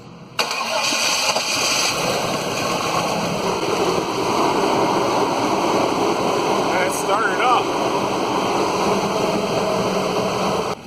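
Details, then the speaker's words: 1998 Chevy Silverado 3500 with the 7.4 (454) V8, a crank no-start call, now idling unevenly with a lopey, stumbling beat and missing pulses. Sounds like a dead cylinder; a shorted distributor cap is the suspected cause. "it is is running rough so it sounds like it has a dead hole I'm I'm still going for the I'm still thinking the distributor cap"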